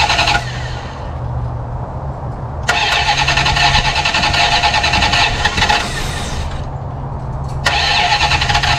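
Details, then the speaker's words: 1974 Plymouth Satellite Sebring Plus off the road about 20 years, first run after adding about three gallons of gas: catches and revs in even bursts, steady beat, no valvetrain clatter; oil pressure gauge not working but pressure assumed; normal running. "I know we have oil pressure we didn't have oil pressure this thing would be clattering like crazy"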